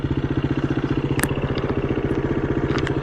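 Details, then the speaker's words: KTM 350 EXC-F or Husqvarna FE350 single on a rocky trail lane. A steady, evenly spaced quick clicking of about 150 a minute rides over the engine. The rider suspects a stick or a broken spoke, and the clicking then stopped. "I could hear something going click, click, click. It seems to have stopped."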